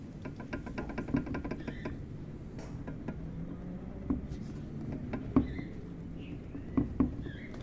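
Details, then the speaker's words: Honda HR-V rear shock absorber worked by hand gives sharp, uneven clicks and knocks from play at the rod, and it springs back abnormally. This is suspension noise, and the rear shocks are being replaced. "barulho que vocês estão ouvindo é da haste do amortecedor."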